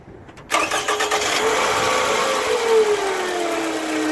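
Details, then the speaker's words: 2007 Toyota Camry 2.4 L four-cylinder, starting then idling: loud whirring bearing-like hum rising and sagging; sound stops when an alternator part is pulled, so owner suspects the alternator, pending testing. "noise. I mean, it seems to be coming from this area right here. I believe it's the alternator."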